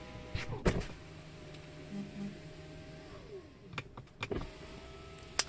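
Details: Tesla Model 3 power window, squeaking since new and worse in rain, before silicone lubrication: motor whir with a thin rising and falling squeak from dry, sticky window seal rubbing.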